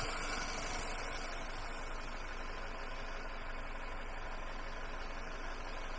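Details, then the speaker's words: Kohler 15 hp engine on a Husqvarna lawn tractor, cranking on car-charged battery: steady quick cranking about four beats a second, no catch, fire out of the intake; suspected broken valve or valve timing out, not confirmed. "okay we're getting fire out of the intake so i think we've got a broken"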